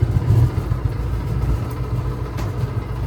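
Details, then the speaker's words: Maytag Bravos XL dryer (MEDB855DC3) running: low uneven rumble with dragging rub from worn drum bearings, which later turns to belt-like squeaking. Bearings to be replaced with a parts kit. "So you hear some bearing rub, and it might take it a while, so I won't let it do it too long."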